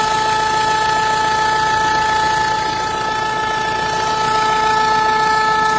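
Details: Renault 1.5 dCi diesel at idle: steady idle with a sharp high whistle on top and a light regular tick, about three to four a second; abnormal engine noise, cause unclear.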